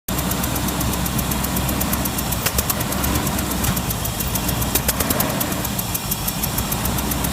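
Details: Land Rover Discovery engine at steady idle with sharp, regular knock tapping over it, about five times a second.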